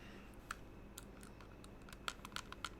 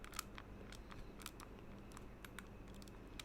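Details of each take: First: Fantech Aria gaming mouse after three months' use: crisp, light main button clicks with minimal pre-travel and slight post-travel, irregular, about a dozen in three seconds, in a quiet room; normal. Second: Fantech Aria gaming mouse after about three months of use, pressed lightly top to bottom: scattered dry plastic ticks and crackles from a creaking, loose-fitting shell.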